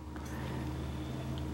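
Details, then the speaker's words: Japanese Sega Saturn Model 1 booting an Action Replay with an American game: quiet smooth hum as the disc spins up, no clicking or grinding; drive spins up normally. "I hear the disc spinning up alright so boots up we already know works"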